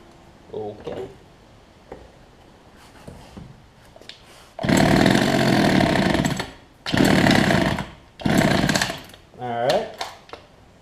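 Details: Older Homelite two-stroke hedge trimmer with new fuel lines and primer bulb, carb low/high-speed screws being adjusted by trial: raspy revs in uneven bursts cutting out between pulls, won't hold steady; mixture still needs setting.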